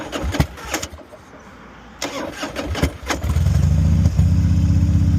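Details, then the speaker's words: Carbureted 2003 Harley-Davidson Heritage Softail V-twin, cold start in neutral with choke pulled: a few seconds of cranking, then it catches and settles into a steady, even, low loping idle while warming up; normal cold start. "Now, while I have the choke pulled, the bike has a chance to warm up, even if it's cold."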